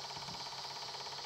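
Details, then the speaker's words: Fifth (top) jukebox mini Pentium PC at power-on: a harsh, steady mechanical whirr and grind with no beeps at all, made by a faulty floppy drive. "and that does not sound good it does not sound good at all no beeps"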